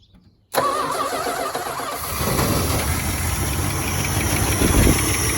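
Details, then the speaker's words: After replacing the failed ignition unit, a short crank, then the engine catches and settles into a steady, slightly lumpy idle; starts and runs normally. "All right, so as you can see, we got that thing running and super happy with that."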